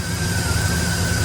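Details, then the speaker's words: 1959 Chevy truck after fixing a no-start caused by misplaced ignition wires: steady low engine drone with an even note, no misses or knocks; normal running. "Okay, she's running and starting just fine."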